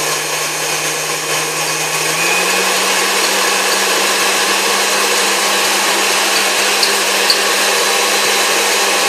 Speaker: as you can tell, this thing runs like new. I mean, it's a great running machine.